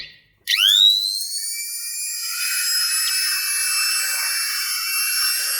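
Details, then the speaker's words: DCA wood trimmer/router run after armature replacement and new carbon brushes (20 mm hammer type), tested through series board; spins up quickly to a high, clean steady whine, no grinding or sparking, sound changed from before; normal run after repair. "तो ये देख सकते हो कि पहले से जो इसकी आवाज़ है वो चेंज हो चुकी है और सिर्फ हमारा आर्मेचर डालने से ये मशीन कंप्लीट अच्छी तरह से चालू हो चुका है।"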